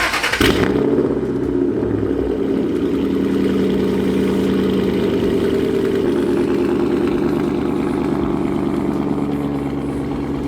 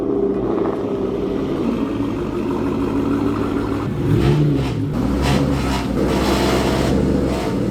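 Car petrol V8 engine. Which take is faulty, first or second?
second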